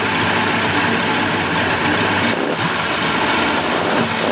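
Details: 1988 Mercury 70 hp inline three-cylinder two-stroke outboard in a test tank after carburetor work, on oil-gas mix, smoking a little. Started on the key to a steady, even idle with no stumbles or misses; runs healthy.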